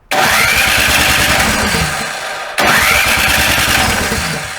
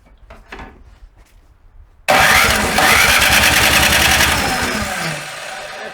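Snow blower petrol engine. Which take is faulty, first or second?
first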